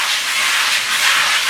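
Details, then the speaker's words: Wet sanding paintwork on a motorcycle seat panel with 240-grit paper and water: steady, coarse, aggressive hiss as the paper cuts in and knocks down scratches; the surface is still rough, and the hiss softens as it smooths. "It's an aggressive hissing noise when it first gets going in there, and it starts to knock down those scratches."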